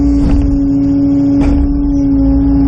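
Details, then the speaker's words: Kubota KX080 excavator at work on a stumping job: a steady diesel hum with a sharp bang about once a second as the thumb slams its stops, because the thumb's hydraulic flow rate is set too high. "can hear that thumb banging hydraulically it's too fast in my mind anyway"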